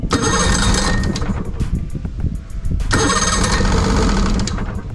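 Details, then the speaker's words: 2006 Evinrude 90 E-TEC outboard that starts then dies, run from a separate oil-mixed tank, old fuel; two cranking bursts briefly catch then fade. Compression good; fuel starvation from faulty, backwards-wired aftermarket fuel pump; possible air leak also wondered about. "It's trying. It's trying. Got all fuel. >> It's really old old fuel. Yeah, man. I don't know. It's got that old fuel in it."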